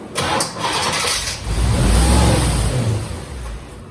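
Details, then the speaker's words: 1987 Chevrolet Corvette C4, under 86,000 miles, sat for years non-running, with new injectors and apparent bad vacuum leaks; it cranks, catches briefly and surges with throttle, then sags and dies within seconds, won't stay running. "All right, giving it gas and nothing happens. Won't stay running. That's all we get."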